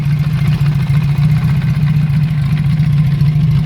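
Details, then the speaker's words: Honda CB350F (350 Four) during restoration, carburettors not yet tuned: smooth, even low idle with steady firing, no knocks, ticks or anything funny; engine runs very well and sounds mechanically sound apart from needing carb work. "on the whole the engine sounds fantastic there's no knocks nothing funny going on"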